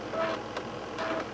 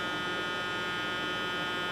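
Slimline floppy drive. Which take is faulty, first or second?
second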